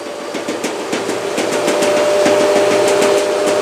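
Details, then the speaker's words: LG washing machine on high-speed spin: fast regular knocking, about three per second, over the drum; the sagging drain hose slaps the cabinet at high vibration, its thin factory foam pad insufficient. "Стучит сливной шланг. Вот он. Вот он болтается. А при очень больших оборотах он касается корпуса."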